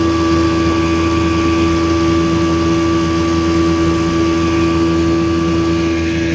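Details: 1984 Evinrude 6hp outboard on a lake test after crankshaft spline repair with a hex-drive extension, reaching 14 mph: a steady, even buzzing drone at high throttle, constant pitch, no misses or knocks; pulling cleanly under load.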